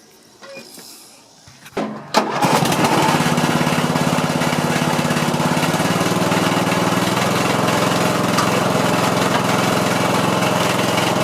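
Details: MTD Yard Machine riding mower after replacing a broken pin/clip that had stopped the blades disengaging and prevented starting: a couple of pulls, then it catches quickly and runs steadily. Normal start and running.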